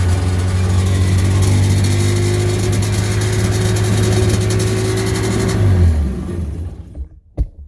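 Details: 1996 Sea-Doo GTI rebuilt engine out of water, idle adjusted to about 3000–3100 rpm (the target, giving about 1500 rpm in water). Steady, even, smooth buzzing high idle with no hunting or misses, then shut off. Idle correctly set.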